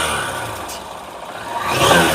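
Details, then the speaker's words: Honda SP 160 BS6 motorcycle with the check engine light on that only starts intermittently: revs sag, knock and stumble, then climb unevenly with intermittent loss of pickup. Misfire and hesitation from a faulty spark plug cap. "এই যে pick আপই নিচ্ছে না গাড়িটা। এই যে এই দেখো, কখনো কখনো পিক আপ নিচ্ছে, কখনো কখনো পিক আপই নিচ্ছে না।"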